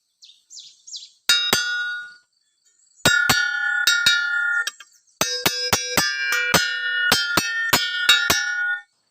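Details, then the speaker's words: Mitsubishi 3.5 hp brush cutter blade in a daily tap test: each tap gives a clean, bright, sustained ring with no buzz or dull rattle, so the blade is sound and crack-free. "ถ้าแบบนี้นะครับก็คือใบมีดใช้ได้นะครับ"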